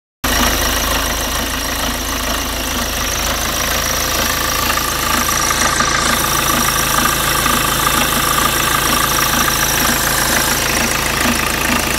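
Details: BMW 318 tds E36 diesel at idle: a dull, repeating knock that seems to come at about half engine speed; the owner asks for opinions and the cause needs further checking.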